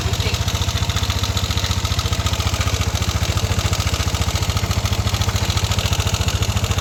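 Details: Yamaha Nmax V1 scooter engine at idle: even pulsing with a loose metallic clatter like rolling marbles. The engine rattles and knocks.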